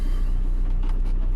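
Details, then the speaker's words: 2015 VW Crafter 2.0 TDI 110 single-cab tipper with 68,000 miles and full service history: the diesel ticks over with an even, low rumble and no knocks, a smooth healthy idle. "start the top as you can see fires into action no problem at all engine sounds nice and sweet no issues at all on that"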